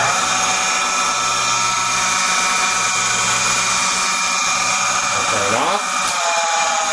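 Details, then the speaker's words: Panworld 100PX-X magnetic-drive centrifugal pump running with impeller and fan cover removed: a loud, steady high-pitched whine with rough grating over the motor; owner suspects worn bearings. "I've removed them Peller and the fan cover and an attempt to show how loud the pump what I think our bearings are turning on"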